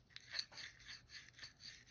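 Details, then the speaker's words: Herter's Model 109 spinning reel (D.A.M. Quick Junior clone) during disassembly: bail trips fine, but a dry rasping scrape repeats about four times a second as it turns, from sand and grit inside the bail mechanism. "hear that? It's gritty inside. So normally I recommend leaving bails just like they are and just lubricating them. But if they've got sand and grit down inside them, they're not going to perform very well for very long."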